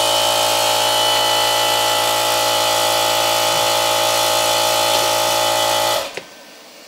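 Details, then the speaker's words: Cast-iron reciprocating air compressor drawing 13 A, run from an inverter on a 1000Ah battery bank: steady, even piston chug about four beats a second with a strong electric hum, starts and runs without trouble until shut off; healthy. "again no trouble whatsoever so this setup can run that"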